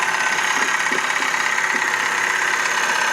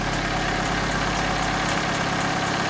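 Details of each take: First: Vauxhall Corsa bought cheaply with many faults: steady idle with a light, fairly even tick about three times a second from the top end; noise persists, owner guesses timing chain, unconfirmed; spark plugs, found oily, were later replaced. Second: Vauxhall Corsa after coil pack replacement to cure a misfire that appeared when warm. The engine idles warming up with the bonnet closed: a steady, even, smooth idle with no misses. It sounds good and is quieter than before the repair.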